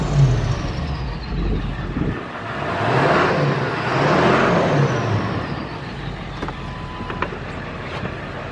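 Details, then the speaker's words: Straight-piped dually diesel truck revving after straight-pipe install: loud exhaust stumbles unevenly under throttle, smooth at idle; owner suspects a misfire only when revved, possibly causing the smoke, not confirmed. "it still sounds like it's misfiring a little bit that could be you know causing the smoke when I live it but like an idle there's nothing it's only when I read it so maybe it's still misfiring"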